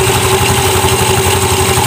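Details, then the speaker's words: Automatic scooter after cleaning dirt, sanding rust and tightening bolts in the clutch area to cure judder (gredeg) at initial start: steady, even putter with regular firing beat, no shudder or rattle; judder gone, normal idle. "Oke, seperti itu normal ya. Oke, sudah normal. Nah, ini nanti geredeknya sudah hilang, Guys."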